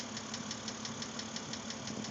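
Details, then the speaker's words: 2006 BMW Z4 3.0si at idle, about 19,066 miles: steady light ticking knock, roughly six per second, over a smooth idle. The lifters were already replaced with no change, and the owner hopes a head replacement cures the knock; cause unknown. "it was in once before to have the lifters changed to try to get rid of this knock but uh it didn't do anything as you can tell"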